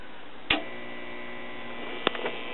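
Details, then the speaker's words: Early-1950s Crosley tube radio at first switch-on, before repair: steady low hum immediately with a couple of clicks, no programme sound, no response to volume or tuning controls; filter capacitors shot. "already getting a little bit of hum at immediate turn on. I can tell the filter capacitor is shot."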